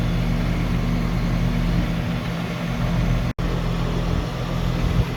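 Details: Two-stage AC condenser in rental property, running stage 2 after wiring fault fixed: steady low hum with even fan rush, no rattles or cycling; running normally on high stage.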